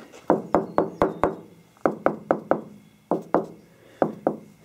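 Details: 1973 Porsche 914 body panel near the door, tapped by knuckle during trim removal: rings like solid metal except one spot that thuds dully over thick built-up body filler (bondo).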